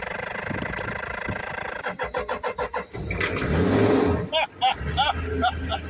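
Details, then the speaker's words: Old Toyota LandCruiser ute abandoned for years in a paddock near Condobolin, NSW, after a battery replacement: slow even cranking at about three pulses a second, then the diesel catches straight up and settles into a steady run, healthy start. "replace the battery and the flipping thing started straight up and that is unreal"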